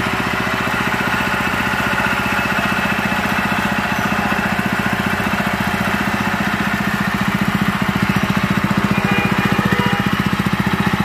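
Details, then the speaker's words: Honda GX160/200 single after replacing the piston and governor gear (previously white exhaust smoke and throttle stuck high): it runs smooth and even with a steady firing beat, no roar or misses. "Suaranya kembali tenang, tidak menggelegar lagi. Semuanya sudah beres sekarang, teman-teman."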